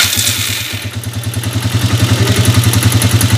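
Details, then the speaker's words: TMX125 Alpha motorcycle engine already converted to 150cc, before conversion to 175cc, idling rough. Rhythmic rattling clatter at three to four per second from inside the engine. "Ayan pa yung problema niyang isa pag naka Menor may maingay na lumalagitik sa loob so titignan natin yun mamaya"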